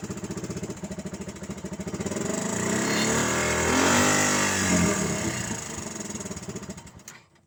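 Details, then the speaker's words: Suzuki Carry 10 fitted with a Suzuki Thunder 125 motorcycle engine: loud, raw, rapid pulsing exhaust swelling with revs then dying away. The original motorcycle header bend is turned rearward into a plain pipe, and the silencer was removed because it felt restrictive. "Itu juga yang menjadi penyebab kenapa suaranya mobil mesin motor ini cukup keras gitu, karena cuman pipa teman-teman. Jadi di belakangnya itu sudah nggak ada saringan knalpot."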